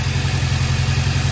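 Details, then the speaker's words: VW Jetta running extremely rough with misfire codes stored: lumpy idle with a heavy low thumping beat, recorded with a tailpipe pressure transducer; the waveform shows cylinder two missing its pulse, a single-cylinder misfire from a cracked spark plug. "And this will tell us which cylinder is misfiring. 1 2 3 or four or even multiple ones. Let's start it up. [Music] Yeah, it's misfiring really"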